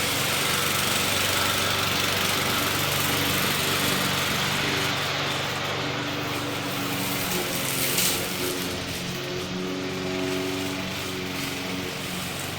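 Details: McLane mower, rear lifted so the freshly lubed drive chains freewheel without driving forward: small engine running steadily at even speed, smooth continuous buzz, no knocking or rattle; sounds healthy, readied for sale.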